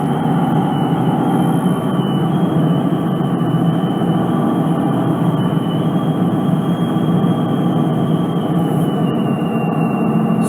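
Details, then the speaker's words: Brand-new 5th gen Toyota 4Runner TRD Pro driving with a Front Runner Slimline II roof rack: steady high whistle near 3 kHz over road rumble, louder with speed, audible over the radio. "hear that whistling and it gets much much louder it's incredible the amount of work i had to do to get this thing on this particular truck including drilling holes and it whistles so loud you can hear it over the radio"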